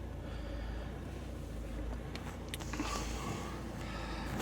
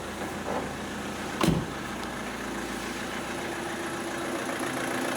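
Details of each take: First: Opel Astra H 1.7 CDTI, 2010, misfiring with glow plug lamp flashing, codes P0301-04, P0400, P0683: diesel idle slowly swelling and sagging, revs wandering, typical of EGR valve per mechanic; ultimately fixed by replacing engine ECU, DPF and EGR deleted. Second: Opel Astra H 1.7 CDTI diesel after engine control unit replacement, immobilizer pairing and reflash with DPF and EGR removed (earlier misfiring, hunting idle, glow lamp flashing): brief knock then even steady idle, no hunting or misfire; normal idle.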